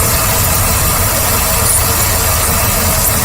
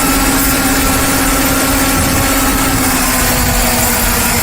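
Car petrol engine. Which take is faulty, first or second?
first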